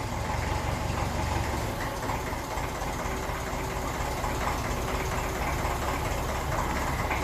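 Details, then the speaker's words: 1954 Ferguson 20 TEF diesel tractor, fully overhauled engine, started cold (about 12°) without heat: steady, even idle with light indirect-injection diesel clatter, no misses; healthy engine, though timing needed advancing. "that is very impressive start as good as that and that thing is a full overhauled engine so you can hear the little rattling the engine the kind of diesel indirect injection diesel knock I never heard that before"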